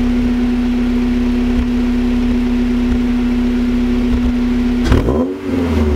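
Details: Honda Accord SiR-T (CF4) with HKS Hi Power cat-back exhaust and Mugen header at idle, then a quick rev; uneven, faintly lumpy low pulse, and the owner suspects a misfire rather than exhaust tone.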